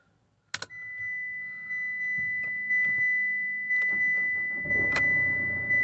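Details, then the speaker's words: Citroen C-Crosser 2.2 HDi diesel, crank-no-start with code P0336, after replacing crankshaft position sensor and clearing codes: couple of clicks, warning chime, brief crank then instant start settling to steady idle. "we have an instant start so a great result there"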